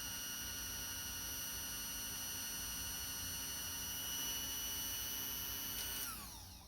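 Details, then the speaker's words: Singer 201 potted motor/gear drive after service and reassembly, run via alligator clips to run in: smooth steady high whine with no rough patches, then clean spin-down at switch-off; normal motor run. "Let it run for a minute or so to run in and get settled."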